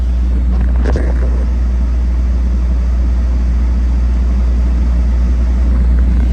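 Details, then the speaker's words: Used Tesla in for air conditioning work with hidden needed repairs, climate set to auto, camera on center console: deep steady hum and droning rumble, console shaking strongly; vibration source not pinned down. "Can you hear that? Can you feel the vibration? Here, I'm gonna sit the camera right here because it vibrates a lot right here."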